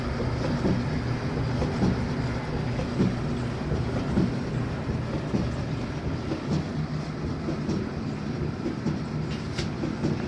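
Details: Samsung gas dryer, drum rollers fitted with sealed 10x22x6mm bearings on M10 bolts, after repair, run on air fluff with no heat: steady even low tumbling rumble, no squeal, scrape or thump; sounds a lot better, normal drum rotation.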